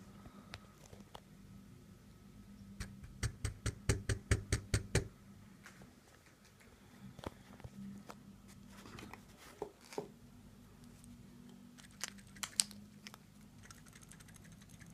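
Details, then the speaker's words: Seiko SNK809 automatic, 7S26 movement, quiet room: bursts of quick uneven ticks and rattles as the watch moves; rotor moves around inside the body, not just spinning. "first of all just try to hear this sound you hear this is the sound of the part which is not sitting appropriate inside of the mechanism"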